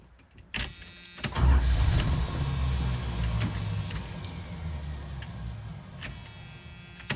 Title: Ramcharger Startup - Misfire